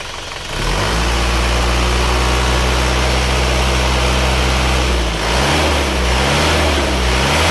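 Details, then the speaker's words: Isuzu Panther diesel after repair of badly worn cylinder 4 liner and broken rings (new rings, liner reworked), warm at 71°: steady even idle clatter with smooth rev blip, no knocking, no blow-by smoke; normal idle. "Suaranya sangat istimewa empuk karena ini segernya baru sayanya baru resecker baru hanya aliran saja yang dibalik"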